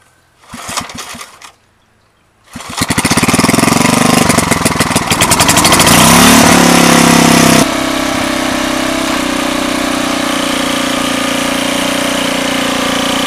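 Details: Old roadside-find rototiller after engine oil change, gear oil top-off, new wheel and lever: several pulls, then catches, revs up and settles into a steady, even idle; runs good.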